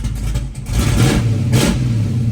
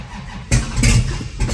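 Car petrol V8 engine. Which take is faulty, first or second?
second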